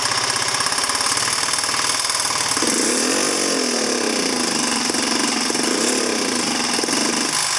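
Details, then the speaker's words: 2009 Genuine Buddy 125 scooter, carburetor cleaned, spark and compression present: buzzy single-cylinder idle now starts reliably, but revs rise sluggishly and sag on throttle blips; engine bogs on throttle, owner suspects CDI and plans replacing it. "So as you can see, it'll start up now pretty reliably, but it's bogging down when you give it throttle."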